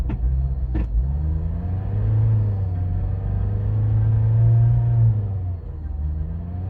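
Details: Mazda 6 after piston replacement, hard to start and won't idle, revs stay high and swell and sag over several seconds without settling; cause unclear.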